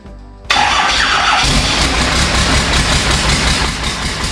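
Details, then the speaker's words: 1985 square body with a Cummins diesel swap, first run off the fuel tank after fuel plumbing work, watched for an air stumble: a short crank, immediate catch and steady loud diesel clatter with no stumbling. A clean start. "now what I'm looking for when I crank it over and it starts is a big bit of a stumble where some air may get into the system and then hopefully it will pick up right away and it'll be running off the tank"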